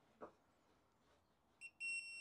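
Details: Motorcycle being diagnosed for overheating on a slow seafront ride: a faint tap, then a clean steady high beep from the continuity tester as the probes touch the fuse blades, showing continuity, so the fuse is good.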